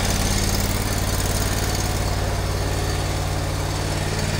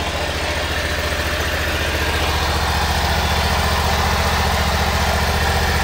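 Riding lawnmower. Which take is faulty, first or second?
second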